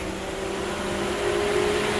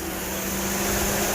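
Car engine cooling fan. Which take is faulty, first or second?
second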